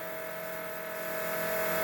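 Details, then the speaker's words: Dodge Daytona stock car with a cobbled-together engine just reinstalled, fuel pump run by button with the rail reconnected to pressurize it: steady even electric whine at one pitch for a couple seconds then cutting off; building rail pressure normally, no leaks found. "Okay, now we'll get on the fuel pump button again and see if we can pressurize the rail. Oh, yeah. Good."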